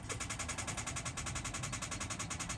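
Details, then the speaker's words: 2012 Ford Explorer, push-button start, high mileage, wife's car that wouldn't start: pressing start gives fast even clicking, about eight per second, no crank; dead battery. "don't know how well you guys can hear that, but obviously not starting. So that's a tall tale sign."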